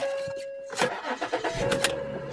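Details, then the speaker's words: Salvage-auction SEL with 197,000 miles and left-front damage. A quick crank catches at once and settles into a steady, even run with no misses or knocks; normal start. "Hey, fires right up."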